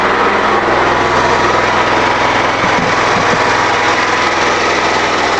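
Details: New generator engine on a woodgas system producing 240V AC, running at night powering the fuel processor and shed: loud, even, high-pitched drone at constant speed with no misses or knocks; running smoothly under load.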